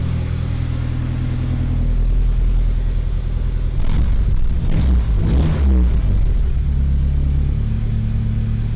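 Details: 1985 Dodge Omni GLH Turbo, Chrysler turbo four-cylinder with aftermarket PCM boost tune, in neutral inside the shop: low, even idle, quick rev mid-clip, settles back smoothly; runs clean, no knocks.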